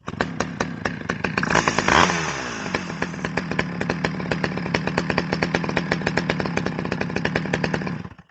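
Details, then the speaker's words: Stihl 011AV chainsaw, revived non-runner, after the loose exhaust was fixed, carburetor settings unchanged: starts right up, blips once, then holds a steady, even two-stroke popping idle; normal idle. "It started right up."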